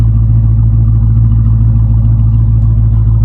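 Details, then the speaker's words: Dodge Charger Scat Pack Widebody 392 V8, salvage rebuild, running on jump box: deep steady idle with even low rumble and no knocks, ticks or misses; engine sounds healthy. "As y'all can hear that thing roaring right now, it's nice."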